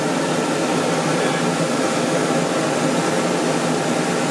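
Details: RV rooftop air conditioner powered by a generator, with a Supco SPP6 hard start capacitor added and the converter off, in July in Utah: steady fan and compressor hum with no stalling or labouring; normal running.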